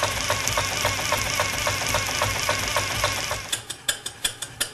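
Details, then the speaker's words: PM Research 6CI horizontal steam engine, 1/4 HP, running on compressed air under generator load, exhaust wrapped in a rag: soft, even ticking of the connecting rod linkage under muffled exhaust hiss; no knock, linkage runs quiet. "I've wrapped the exhaust pipe with this rag to quiet down the exhaust so you can hear how quiet the connecting rod linkage is while the engine's running"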